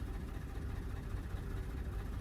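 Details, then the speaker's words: 2009 Lexus GS350 after battery installation: low, uneven rumble that wavers and stumbles, barely running and will not idle or stay running; fuel pressure looks low, owner suspects something out of time or cylinders washed. "I'm thinking something's out of time maybe no idea but this will not idle can hear how that sounds it sounds crappy this will not stay running"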